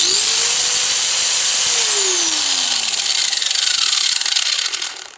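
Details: Cheap angle grinder, bought on eBay, after repair of bad vibration: high smooth motor whir winding down to a stop, no rumble or grinding; runs smoother than when new.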